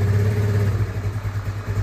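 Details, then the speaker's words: Yamaha Nuvo scooter single bored up to 148cc with raised compression and the pilot jet raised from 17.5 to 20; it now starts faster and ticks over at a steady, even low putter with no misfire or hunting, a normal idle. "Oke guys, barusan udah dicoba dan alhamdulillah lebih cepat nyalanya, dan sekarang udah normal."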